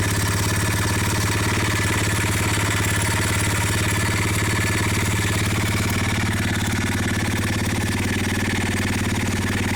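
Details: ABM Raptor 250 single-cylinder engine idling with fast steady knocking throughout, little change in speed; internal engine knock, source not pinned down.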